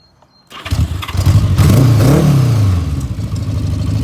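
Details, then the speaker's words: 1979 Honda Goldwing barn find, restored over a winter, with a switch modification; cranks, fires and blips up, then settles into a steady, slightly noisy but even idle with no knocks, not the quietest originally; normal start and idle. "start we go like i said it's uh not the quietest thing originally but um"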